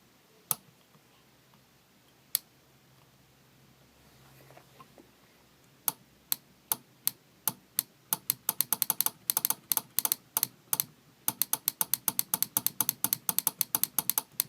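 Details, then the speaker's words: Relay on test circuit with switch-driven coil and LEDs: crisp, sharp clicks, slow then fast bursts, one click each time the coil is energized; relay switching correctly. "se escucha un clic cada que nosotros excitamos a la bobina. Eso significa que nuestro relevador funciona correctamente"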